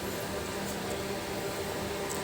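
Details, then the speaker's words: Split AC indoor unit (R22) after repair: soft even fan hiss with faint steady hum, no rubbing or rattling; earlier noise came from a part touching the plastic near the evaporator, which was bent away, and the noise stopped. "और यह चल रहा है और कोई आवाज नहीं आ रहा है"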